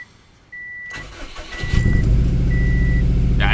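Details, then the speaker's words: Subaru petrol engine, possibly a WRX: a dash chime, a brief crank, then a rough, shaky, lumpy idle with the check engine light on. It is misfiring on cylinder 3 (P0303) from a failed ignition coil, later replaced. "that was a rough start up there's a good old check engine light"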